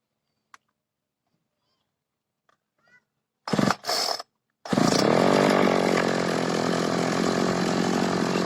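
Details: Makita RBC411 two-stroke brushcutter, after repairing a broken clutch spring (it had shaken and made a strange noise once the blade hit a branch): a couple of pulls, then a steady, even high buzz without shaking; it runs normally.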